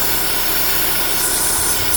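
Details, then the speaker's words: 2009 Holden Cruze JG 1.8L F18D4 petrol engine idling with white exhaust smoke: steady loud hiss from one side of the valve cover, like an internal vacuum leak, changing in tone; PCV valve built into the cover likely has internal damage or a crack, so the cover needs replacing. "So when we start the car, you can hear that this side is a hissing noise, like a vacuum leak inside. Here you can hear the noise is changing."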